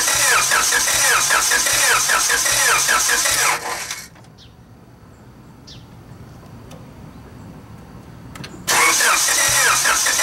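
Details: Car engine cranked with distributor disconnected, no spark, to prime oil after turbo kit install: steady starter whirring near three turns a second, pause, more cranking, no catch; battery nearly dying.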